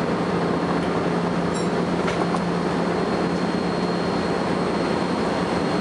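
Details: First Manchester Volvo B10BLE bus 60403 (S670SVU), recorded 30 May 2011: a thin, steady high-pitched whine holds one pitch over the bus's rumble; source not identified.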